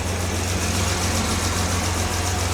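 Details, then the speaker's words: Jaguar XJ6 daily driver, just rebuilt with a new head gasket and camshafts retimed, idling cold on full choke with good oil pressure. A steady, smooth low hum with an even beat and no knocks or ticks. Finding: normal cold idle. "Sounds good. So yeah, we have built oil pressure. I'm going to wait to blip the throttle a bit, but it's also running on full choke and everything."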